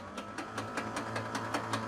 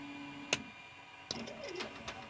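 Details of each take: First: Museum airplane engine that sat about 20 years, spark plugs all removed, starter cranking with no load: steady whir with even light pulses and no compression bite, engine spinning over freely. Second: 68-year-old museum airplane engine started after 20 years stored: catches after a few seconds and settles into a lumpy, uneven idle that stumbles now and then, sounding like a big cam; it is actually misfiring.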